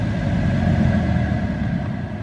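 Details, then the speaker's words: Tesla Model 3 blower at maximum setting 10, after cabin air filter replacement and evaporator foam cleaning: a steady, even rush of air with a slight thin whistle. Working fine. "Sounds okay. Sounds like everything's working fine."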